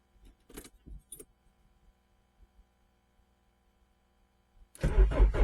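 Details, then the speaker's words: Renault Clio 1.8 16V that stopped running after sitting for months: ticking, then a long steady starter chug that never catches. The fuel pump is heard working and the engine coughed earlier, so the cause is still unknown. "no she doesn't want to have any of it so uh I don't want to dead the battery down well we know that the pump works now cuz I can hear it so the pump works which is great and we heard it cough a couple of times and now we've got nothing"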